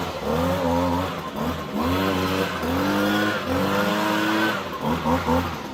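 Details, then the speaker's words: Echo PB-250 two-stroke leaf blower with new replacement carburetor, just started and warming: revs rising and sagging every second or so, slightly boggy as expected; normal warm-up running. "It might be a little boggy at first as it warms up and gets everything going through here, so don't be surprised if that's the case, just for a couple of moments as you get it going."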